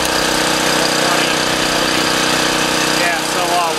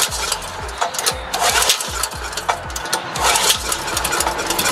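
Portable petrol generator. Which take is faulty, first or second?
second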